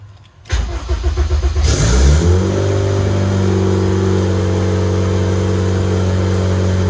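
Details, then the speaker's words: Project RED build, first start on a standalone EMS, battery relocated to the rear: it cranks briefly, catches with a rising roar and settles into a steady, even idle with no misses or knocks. Normal start and idle. "like all right fellas lots of problems but we got it to go fired up on stand alone"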